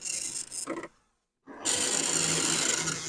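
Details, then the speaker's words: Commodore 1525 dot matrix printer for Vic-20/C64, never tested before, tractor-feed paper, running self-test mode with noise cover on: harsh buzzy rasping printhead passes, short silent pause, then a steady run of printing; normal printing. "and it is making a feasible noise and in fact here [Music] these things are loud this was the thing that was supposed to protect us from the noise and indeed it does do"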